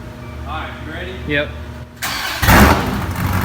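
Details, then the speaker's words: Wrecked 2014 Dodge Viper TA V10, first start after collision: cranks and catches into a loud, raw idle with a sharp hissy edge; a cracked exhaust pipe was then found leaking; exhaust leak. "oh my goodness guys sounds like a beast but we did hear a leak out of this pipe right here and there's actually a crack in it did not see it"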